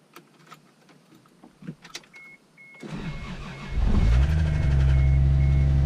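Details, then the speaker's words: 1987 MK3 Supra Turbo Targa cranks, catches and settles to idle with a steady tapping about four per second under the exhaust; the owner suspects something loose inside, possibly rod knock, not confirmed. "I don't know if you can hear that or not, but that tapping noise, something loose in there."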